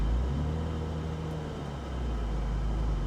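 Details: BMW Z3 from Texas, about 22 years old with 52,000 miles, at idle: steady, even low exhaust rumble with no misses, ticks or rattles; healthy, smooth idle.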